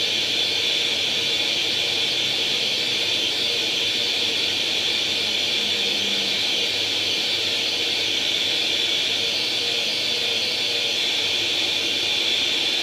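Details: Atari 800 XL after a RAM-chip transplant fixing a 5V-GND short, loading International Karate from cassette: steady high-pitched screech with fizzy hiss, even throughout with no dropouts; the game then starts; normal cassette data loading tone.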